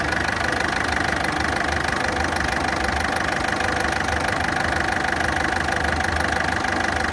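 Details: Ford Fiesta engine at idle with fast, even ticking about three per second over a loud, harsh running note; cause not pinned down.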